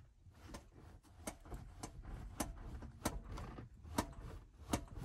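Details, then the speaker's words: Combine running with the header switched on but not engaging: faint, uneven clicks about once a second over a low engine rumble. The cause is unknown, and a lack of power to the header drive is to be checked. "Not sure if you guys can hear that, but it's clicking for some reason."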